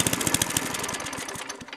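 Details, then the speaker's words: Free lawn mower, cold start: small engine fires in uneven stumbling bursts that falter; runs rough. Owner suspects stuck float and fuel leaking out, loose air cleaner cover; not confirmed. "yeah see it's got issues I think it's leaking fuel out"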